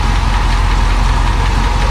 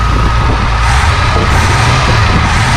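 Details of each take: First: Barn-find 1966 Ford Thunderbird V8, sat 32+ years, restarted after cleaning the plug of long-dead cylinder 8: deep steady idle, still a little rough, with a faint quick lifter tick on top; cause not confirmed, oil not checked after driving. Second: 1966 Ford Thunderbird barn-find V8, after cleaning the cylinder 8 plug that had not been firing, idles with a deep, steady rumble, still slightly rough, with a faint lifter tick; all 8 cylinders now firing.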